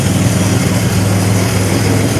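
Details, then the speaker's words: '07 Grand Prix warming up at idle after a power steering fluid top-off: a steady, even low rumble with no knocks, ticks or misses; it is running normally, though a check engine light remains (suspected PCV). "But I'm just kind of letting the '07 warm up a little bit. Let it run for a few. Make sure everything's still working properly. Everything seems to be working great."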